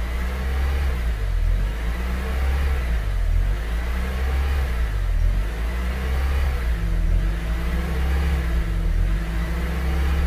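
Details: Honda CR-V gen 2, cable-type throttle body, warm at coolant 90°C, no check engine light or stored codes, closed/open loop cycling on scan: idle rises and falls in slow waves every couple of seconds; idle hunting, cause unconfirmed.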